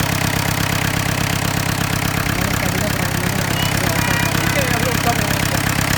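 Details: 1986 Mahindra 500D jeep, International slow-speed direct-injection diesel, cold start after standing 18 years: uneven clatter at fast idle, about three beats a second, running rough just after starting.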